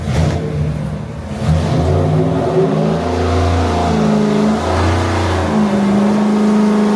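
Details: 426 Hemi V8 on a dyno, rebuilt after a holed piston, good oil pressure, carb secondaries open, rich mixture, during a timing test: deep roar climbing cleanly under full load with no pinging or rattle; healthy pull.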